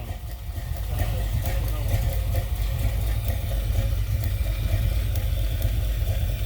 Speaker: you know the problem with these old cars is you can't tell for sure if it's a can or just severely misfire i'm gonna go with nash's got a cannon yeah i hear